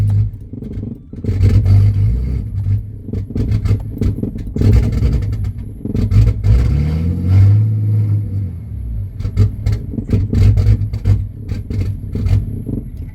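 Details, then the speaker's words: Turbo Ford AU Falcon ute on a purchased stage three flash tune that won't keep it running: the engine hunts and surges unevenly at low revs instead of holding idle. Owner suspects a bad tune; not confirmed. "See, that's how it runs with this tune from TI Performance. That's a stage three tune, mate."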